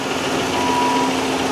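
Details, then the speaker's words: 15k-mile Chevy Camaro SS auction car, earlier lifter tapping: steady idle with a busy clattery rattle under the hood, knock of unknown cause that later seemed to clear up somewhat. "let's check on that knock she was making a quite a racket up here"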